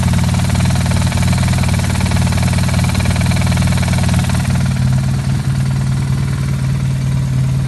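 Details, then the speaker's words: 2009 BMW R1200R boxer twin idling: loose, irregular knocking rattle from the gearbox that disappears with the clutch pulled in and returns when released. "вот сцепление не дрался выжимаем пропала отпускаем гремит гремит"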